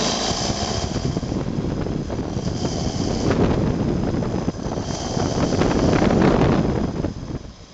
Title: Premier démarrage moteur Renault Colorale Frégate préparé